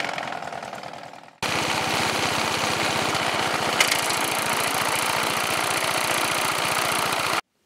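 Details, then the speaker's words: 14.5 HP Briggs & Stratton OHV engine, still running but very noisy: harsh, rapid, regular internal knocking about four per second; owner suspected something snapped inside (counterweight or camshaft), not the rod; loose balancer counterweight knocking suspected, not confirmed. "something snapped inside and I figured to counterweight or camshaft or something something wrong somewhere"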